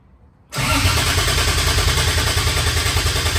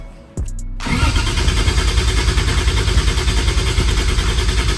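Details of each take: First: First start of 2JZ-GE VVTi in MX83 Cressida on Haltech ECU with cheap T51 turbo: heavy, raspy idle with thin high whistle because the turbo's speed-sensor bung is left open; turbo whistle from open speed sensor port. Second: 2JZ-GE VVTi turbo swap in MX83 Cressida, cranking with injectors off to build oil pressure before first start: new starter and Optima battery turn it steadily around 200 beats a minute without firing, even compression, 50 psi oil pressure; normal cranking.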